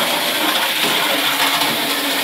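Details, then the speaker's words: Model railway locomotive with a cracked base plate glued back unevenly, doing a full circuit of the track. Constant high-pitched motor whirr, no catches, stutters or grinding; goes around really well: normal running. "i like the noise it goes around really well"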